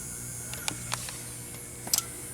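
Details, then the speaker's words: Two-wire fire alarm strobe run from a panel's full-wave rectified (FWR) output, heard close up: steady loud low buzz with a bright whine above it; normal and harmless to the strobe. "yeah it is making a loud buzzing sound because yes these these strobes can take fwr yes they can it's not gonna hurt the alarm in any way"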